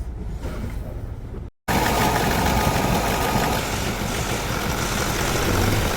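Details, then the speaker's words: Mahindra Scorpio mHawk diesel in first gear, clutch slowly released under load. A fast "kat kat" knock of about four per second. "और clutch को जैसे ही हम धीरे-धीरे छोड़ रहे हैं तो इंजन पर लोड पड़ र है उस कंडीशन में हमारी इंजन में से कट कट कट कट इस टाइप का साउंड आ र है"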